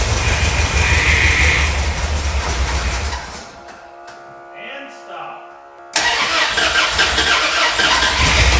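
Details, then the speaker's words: 1971 Plymouth Satellite revived after sitting: rough, lumpy idle with an uneven beat that briefly drops out. The owner suspects a cylinder or two missing; oil pressure is good on fresh high-zinc 20W-50. "Well, sounds like I'm missing a cylinder or two in there, but the oil pressure is good."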